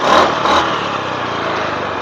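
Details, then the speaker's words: Honda Beat FI scooter after manual ECU reset: quick throttle blip winds up cleanly and settles to smooth, even idle, no lag or hesitation; running right. "oke kita langsung nyalain kayak gini teman-teman ya oke teman-teman ya suaranya pun langsam enak terus Engak ngeleg enggak"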